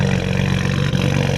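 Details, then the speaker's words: BMW E92 335i with upgraded twin turbos, first start after the work, running rich: lumpy idle with a recurring stumble from a cylinder 1 misfire; owner suspects the spark plugs need re-gapping, unconfirmed. "you can hear that miss but everything's running normal see what comes up here monitor is that misfire back no hasn't came back up on the dash i got a misfire in cylinder one so i think i may need to re-gap my spark plugs"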